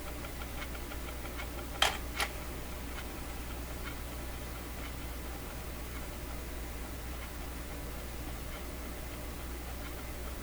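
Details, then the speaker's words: Clairtone console stereo record player, old and unmaintained, during lubrication work: faint light tick about every half second over steady motor hum, once per platter revolution, like a train on tracks, unnoticeable at slower speed; suspected platter source, unconfirmed. "a little like a train going down the tracks the slower speed you just don't notice it it's still there though so it's something in the platter because it's it's every time you go around once it makes that sound"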